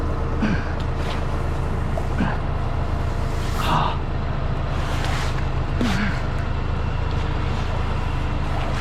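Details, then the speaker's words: Commercial distribution center main cleanout hydro-jetted with 4000 psi out to 120 feet, clearing thick sand and silt: steady jetter roar with irregular gurgling bursts every couple of seconds as water bubbles back up through the silted drain. "You hear that thing bubbling though? Yeah. Crazy."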